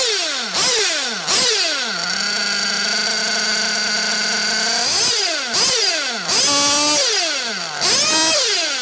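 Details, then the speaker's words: 1/8 nitro buggy engine deliberately tuned too lean on the top end: shrill scream climbing fast and holding high, then revs hang and idle runs on because the engine is starved for fuel. "so what you have is you can hear the the ballistic RPMs and then the idle runs on because the engine is star for fuel so it won't idle right either uh when it's too lean on the top"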